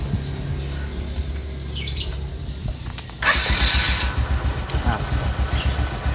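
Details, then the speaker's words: Honda Supra X 125 motorcycle starting after repair, where the owner chose a new block: starter whirr, then it catches into an even, clean, smooth putter with no ticking or knocking. Healthy start. "Suaranya juga halus. Nah, menurut saya ini cukup bagus, tapi itu tergantung pada pendapat pemiliknya nanti."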